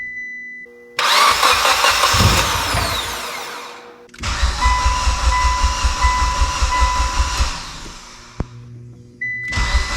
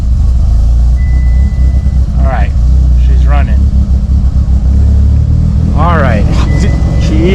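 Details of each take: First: Mitsubishi Evo with a used engine on first start after priming oil pressure; long bursts of rhythmic starter cranking with pauses, nearly fires but won't catch; finally started after holding full throttle a few seconds. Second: Mitsubishi Evo with newly installed used engine, first start after needing full throttle for a couple seconds: deep, steady low idle with no ticking or knocking, 80 psi oil pressure, no leaks; healthy.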